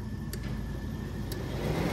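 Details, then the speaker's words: Audi TT Mk1 cooling fans with the thermal-switch terminals bridged for high speed: fan rush builds steadily with sharp relay clicks as it pulls in. Both fans run normally on high speed. "across here and here we should get both fans kicking at high speed"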